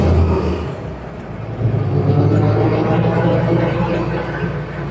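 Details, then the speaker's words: Willys M38 Jeep on a test drive after a full rebuild of the transmission and transfer case with new/NOS gears, bearings and seals: gear whine rising with speed through the gears; healthy, no longer pops out of gear. "I love the sound of Jeep transmissions. Reminds me of MASH every time I hear them."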